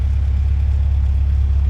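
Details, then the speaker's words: Steady, low, even engine hum with no knocks or misses, running like a top; the fuel pump is faintly audible but no longer howling as it used to. "and it looks good you can hear the fuel pump a little bit not bad not like it used to be howling the way there"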